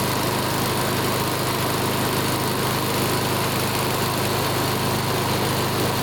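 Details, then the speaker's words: Older Honda Harmony mower after full tune-up (carb, valve lash, ignition, oil): single-cylinder holds steady even note, no surging or misses; measured 1910–1920 rpm, judged perfect, normal running. "wow look at that RPM hold on let's see what it is listen to that 1910 to 1920. that's perfect"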